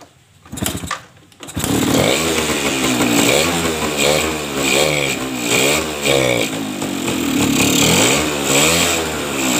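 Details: Suzuki RC two-stroke motorcycle that was hard to start with a weak spark, possibly from an imitation stator coil, started without the ignition switch connected: crisp, buzzy note catches and revs cleanly up and down; running normally.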